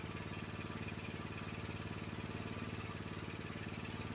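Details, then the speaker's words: Honda HS724 snowblower small engine checked on a tachometer after choke and idle adjustment for hard cold starting: quick even exhaust pulses at a steady idle of about 2140 rpm, the spec, with no hunting or surging. "It was 2140. I can loosen up that screw a little bit."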